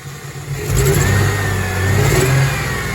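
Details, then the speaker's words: Hot Ford Thunderbird revving with choppy stumbling acceleration and engine vibration: at least two cylinders misfiring, believed from coolant leak contaminating fuel injector wiring harness; intake manifold removal planned to check harness, plugs, ignition wires, coil pack. "hear that choppy acceleration that means that at least two cylinders are not firing or they are misfiring"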